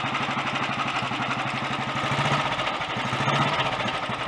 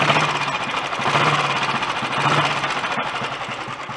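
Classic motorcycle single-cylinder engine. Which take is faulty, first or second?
first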